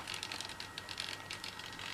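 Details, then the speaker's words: E-flite 64mm F-15 EDF model in AS3X mode, activated after a throttle blip: quick, uneven servo ticks and chirps over a faint whine as the stabiliser corrects for wind inputs; normal. "can hear it chirping as it controls to flick just a little bit to counter any sort of uh wind inputs to the airframe so that's the s3x mode"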